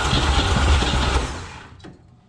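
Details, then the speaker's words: 1961 Chevrolet Impala, base 235 inline-six, 3-speed manual, parked in junkyard about 28 years, run off a fuel bottle: strong cranking with catching thumps that never take; has plenty of spark but not enough fuel. "see it's gonna go we just don't have enough fuel"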